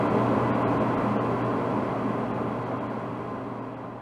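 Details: DE-N35FY clothes dryer after a fix for a bad abnormal noise: belt replaced, disassembled, cleaned and oiled. Steady, even drum hum with a low drone that eases off gradually, no squeal, knock or scrape; running smoothly.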